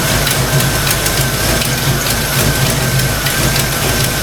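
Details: Fox-body Mustang idling after thermostat install, warming up: light regular metallic clacking from the valve train; owner suspects stock rockers, with earlier oil pressure loss and metal shavings noted.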